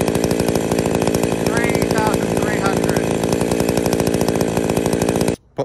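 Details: Chainsaw after replacing the centrifugal clutch springs to stop the chain spinning at idle: a steady, even two-stroke putter at idle, meant to be about 2500 rpm, with no speed wander before shut-off; it now idles normally.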